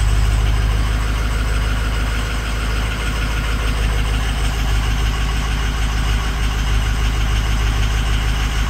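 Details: 6.0 Powerstroke diesel at idle with a bad #6 injector: a steady idle with an uneven knock recurring about three times a second, a lumpy beat of one cylinder misfiring.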